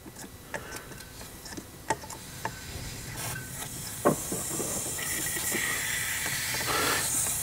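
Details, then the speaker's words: 2007 Audi A8 with air suspension stuck at highest position: steady hiss swelling louder from the loosened front-left air spring line fitting, confirming air pressure reaches the valve block. "and we can definitely hear air coming from the fitting so let's quickly tighten it again so we know the air is making it all the way up until the air blocks"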